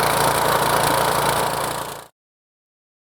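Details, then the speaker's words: RynoWorx AirBoss 300 sealant sprayer, small engine running the transfer pump to load fluid from the tote into the tank: steady, even engine beat with a constant pump whir, then a clean shutoff; normal loading run. "so now what i'm going to do is i'm going to go start my engine and as you can see the fluid level on the toad is starting to go down we're loading material"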